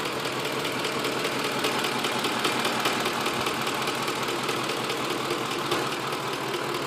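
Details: 2006 Ford F150 5.4L V8: light, fairly regular ticking, about two per second, over a steady running engine; appeared during a long road trip, cause unknown.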